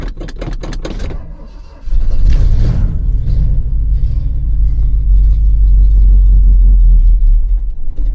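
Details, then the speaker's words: 1977 Ford F-250 Custom, 351M V8, C6 automatic, 2WD, cold start after sitting a long while: long crank, then catches into deep uneven lumpy rumble, running rough while cold; owner says it is hard to start on cold days. "As you can hear, a little cranky. First wakes up. So, give him a minute, warm up, and should be good to go."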